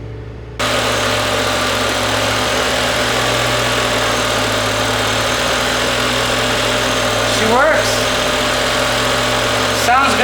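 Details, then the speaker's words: Neglected used BMW M5 with naturally aspirated 507hp V10, clutch slipping badly, oil change history unknown: engine catches and settles into a steady, even idle hum with no ticks, knocks or misses; sounds smooth. "it sounds smooth I don't hear anything really weird out of the ordinary so that's a good thing"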